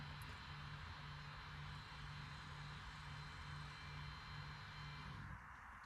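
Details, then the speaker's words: 2013-20 Ford Fusion electronic rear parking brake being put into brake maintenance mode for pad replacement; steady electric whir of about five seconds then clean stop as the brake retracts normally. "And while you're still holding everything, you can hear the parking brake retracting and you'll see that message that says brake maintenance mode right in the front."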